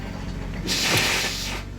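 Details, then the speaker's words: 2019 Dodge Grand Caravan, 109,000 miles, towed in after sitting several months, with a dealer claiming it needs a transmission. With a foot on the brake, a harsh, hissing scrape of under a second sounds the moment the lever goes into park, then quiet. "one big key thing though you put it in part you hear that noise that scraping"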